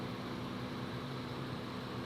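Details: 1996 Ford Mustang GT convertible, AC compressor had been cycling from low refrigerant, while recharging with R134a at about 90° outside: steady even hum and low drone never dropping out, compressor now running continuously; normal AC compressor operation.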